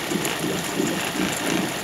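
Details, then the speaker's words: Suzuki DF50 2006 three-cylinder outboard, 297 hours, just started cold in winter: lumpy pulse about four times a second over a clattery hum with slight vibration; owner suspects a spark plug or not yet warmed up. "ну даже несколько и немножко вибрация такое ощущение что она свеча у него"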